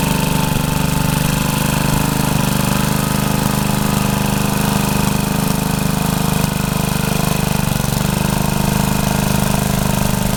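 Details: Rebuilt Troy-Bilt tiller digging under load: loud, steady single-cylinder drone holding even speed, no knock or misfire; pulls fine, though owner saw heavy smoke under heavy load the day before and suspects blow-by past the rings.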